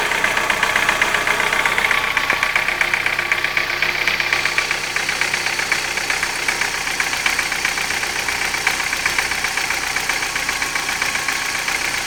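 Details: Light, quick tapping about four per second over a warm idle; began after hydraulic lifter replacement, absent when cold, likely valvetrain noise of uncertain origin.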